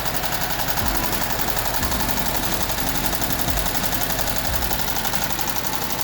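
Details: VW Type 1 air-cooled 36hp at idle, reassembled after suspected bad bearing or rod knock turned out to be worn pushrod guides: fast busy valve-train clatter, no deep rhythmic knock; sounds healthy.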